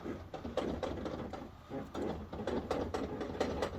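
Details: Arctic Cat ATV, raised front wheel turned by hand: faint rhythmic scraping ticks; noise appeared when turning, CV or wheel bearing suspected before a loose brake caliper rubbing the disc was found.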